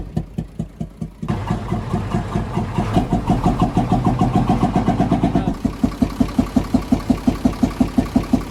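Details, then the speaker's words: UD Nissan FE6 6-cylinder 24-valve truck engine: after it fires, idle carries rhythmic chuffing puff about three a second, louder at the intake/air filter side; leaking intake valves, faulty camshaft and valve seal suspected before head removal. "जिस तरह से मैंने आपको check करवा दिया है, इसमें आवाज़ जो है इनटेक की तरफ से ज़्यादा आ रही है, जो एयर जाली है उसकी तरफ से आवाज़ ज़्यादा आ रही है।"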